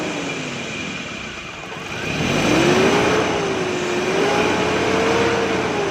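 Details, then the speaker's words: CNG-fuelled Datsun/Toyota pickup with a starting problem, fixed by adjusting gas since too little was reaching the engine: catches and revs smoothly, settling into an even, steady run with no misfire; normal running. "दोस्तों इसकी gas adjusting का मसला था। जैसे proper engine में थोड़ी सी कम गैस जा रही थी, जिसकी वजह से ये इसने बाकी में परेशानी कर दी है, प्रॉब्लम कर दी है।"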